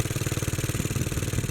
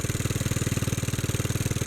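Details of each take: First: Bolens garden tractor (possibly 1957, tag Type 21HD01), small single-cylinder engine after years sitting, running on choke; it dies when choke is taken off. Lean, not getting enough gas; owner starts opening carburettor screws, mostly the main jet. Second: Early Bolens garden tractor (possibly 1957, Type 21HD01), long-stored, small single-cylinder petrol engine running smoothly at steady speed after main jet opened (was lean, died off choke), choke fully open, before slowing to adjust idle; normal running.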